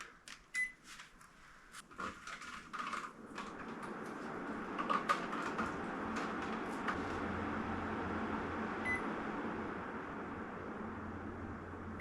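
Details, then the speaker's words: Split-system indoor AC unit after fan motor bearings replaced and unit cleaned: a few clicks at switch-on, then smooth, even fan rush with the former rough bearing white noise gone; indoor fan running healthy. "I can hear already it sounds so much better the bearing noise is gone."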